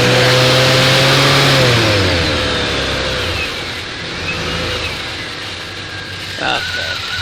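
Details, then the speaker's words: Fuel-injected gasoline Suburban just started after sitting: runs high and steady for a couple of seconds, then drops to lower idle; racing idle, owner suspects sticking throttle, alternator belt noisy. "okay think this throtle is a little sticky on it h i pretty sure the throttle's sticking that's why it was racing"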